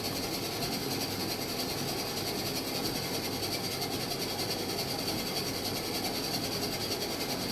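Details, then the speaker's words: Washing machine on a descaler wash test, owner suspecting the front bearing pads: steady, even whir with a constant high whine and no knocks or grinding; the motor noise is normal. "that noise is fine it's the motor"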